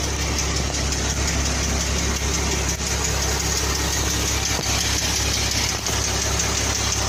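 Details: 2014 Jeep Wrangler 3.6 V6 idling steadily, with a light, fast ticking buried in the engine note: hydraulic valve lifter tick.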